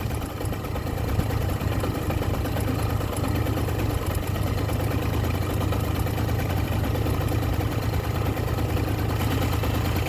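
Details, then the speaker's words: Kymco ZX two-stroke scooter on premix, first run on new carburetor after reed valve gasket found missing: steady even low putter at idle, slightly low, no misses or knocks; runs healthy, revs rise with throttle. "by pulling this it goes faster at least it's running now"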